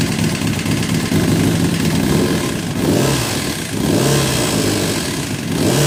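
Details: 2006 Kawasaki ZX10 at idle and revving, 45k miles, no compression in cylinder 1, smashed spark plug, no smoke or metal shavings in oil: loud hard knocking over idle, harsher as revs climb; owner suspects rod knock or blown motor, unconfirmed.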